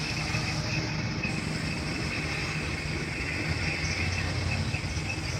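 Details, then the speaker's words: Twin-tub spin dryer after adding support to the rubber mounts that let the tub bang against the body: steady even whirring spin, no banging or knocking. "testing natin after natin na malagyan ng ano ng support yung pinak goma yan wala tayong maririnig na kalampag pino lang yung kanyang ikot"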